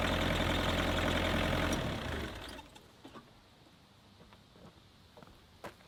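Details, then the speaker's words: Kubota KX121-3 excavator diesel at idle with a steady high squeal until shutdown; ongoing squeal, owner suspects the old, slipping belt driving the water pump and alternator; machine also overheating, before fan/water pump and A/C belt replacement. "if you didn't realize on that first clip that I showed that it squeals a lot and um this is an ongoing thing and I'm pretty sure it's related to the Belt that drives the water pump and also the um the alternator"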